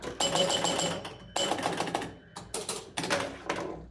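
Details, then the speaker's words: Aladdin's Castle pinball machine: rapid buzzing chatter each time the flipper is held up. A misadjusted end-of-stroke switch doesn't open cleanly, so the coil cycles on and off between high and low power; the switch is to be fixed. "so what's happening is they're they on high power until they get to the end in and they go low power but it's not quite opening up it's just like kind of on off on off on off on off with the end of stroke so it makes that noise"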